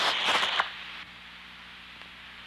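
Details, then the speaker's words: Vacuum leak heard through an Ultraprobe 2000 ultrasound detector: a loud, turbulent rushing hiss fading to a softer steady hiss, subtly different from a pressure leak, like inhaling versus exhaling. "difference is like the subtle difference between the sound of inhaling and exhaling"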